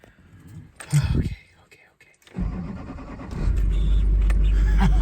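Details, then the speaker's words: 2005 LLY Duramax regular cab, 168,000 miles, after fuse box, fuel filter and faulty FICM repair by Re-Circuit Electronics and fuel priming: starter churns briefly, catches first try, settles into deep even rumble; owner suspects earlier no-start was an air bubble. "First freaking try. Look at that. Hopefully I just had an air bubble."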